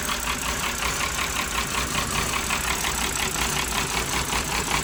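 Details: BMW 5 Series, just started after many failed cranks, with codes and a low-coolant warning: uneven, loping idle with a lumpy beat of about two or three per second and a hissy exhaust, not running cleanly. Rough idle.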